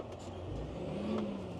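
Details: John Deere 8530 diesel revved after fuel filter change and coolant top-up: strong, steady drone climbing smoothly with no knocks, misses or rattles. Runs strong; owner still wonders if the fuel pump is going bad.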